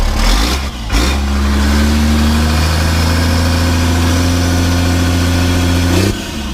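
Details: 1991 Ford F350 with a CAT 3126 diesel swap, after installing a new oil pump to cure a hard start, fired up for its first test drive. The diesel catches promptly and settles into a steady, even run with a smooth pitch and no knocks or misses.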